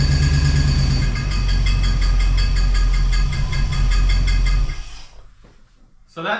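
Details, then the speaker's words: 1969 Plymouth Fury III rebuilt V8, first start after rear main seal replacement: heavy low run with a regular rhythmic chatter, seemingly from the front of the engine, that quickens with RPM, absent at first start, began within two to three minutes; source undiagnosed. "and you can see that it does that sound does increase with the RPMs and it didn't make that sound when I very first started it up"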